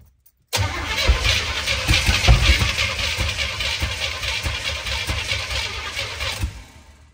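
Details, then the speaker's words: US-import GMC Vandura V8 van, non-running, first start attempt: long crank with ragged irregular firing, catching only partly, then fading out; ignition timing suspected off, probably too far retarded. "that was not right there I think we're running so we're either too far in advance or too far [ __ ] I think we're too far [ __ ] back"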